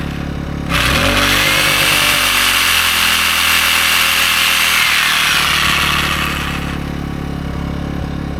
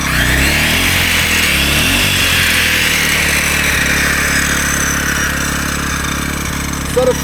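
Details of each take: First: AiVolt 1600/1260 W gas inverter generator running DeWalt's biggest reciprocating saw: steady, even engine drone under the saw's high buzz, no surging or bogging; handles the load with the overload light staying off. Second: AiVolt 1600W (1260 running watts) gas inverter generator running a 15-amp circular saw, above its roughly 10-amp limit. The engine labours, sags, whines and wavers and the overload light comes on, overloaded.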